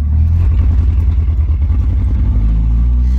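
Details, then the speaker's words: 1989 Jeep YJ 2.5L, driving under load after crank position sensor replacement (plug wires, cap, rotor, fuel filter, coil already replaced, compression 150 across): intermittent misfire, stumbling uneven exhaust pulses that then clear; ignition control module suspected next. "that did not fix the issue and you guys can hear it so listen closely and then it clears"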